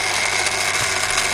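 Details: Daiwa DR-7500 antenna rotator (Kenpro KR-400 equivalent), refurbished and upgraded internals, running back toward north: even high-pitched motor whir with steady gear buzz, no knocks or hesitation; normal rotator running.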